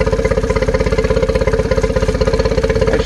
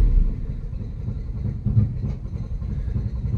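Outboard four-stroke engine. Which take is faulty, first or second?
second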